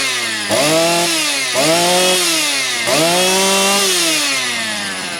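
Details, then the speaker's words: Motor Sich 270 chainsaw with new ignition coil and clear tank vent: crisp two-stroke buzz blips up and settles back several times, revving cleanly and evenly with no misses; runs healthy. "що бачите як у нас малий зараз бачите все Працює чітко"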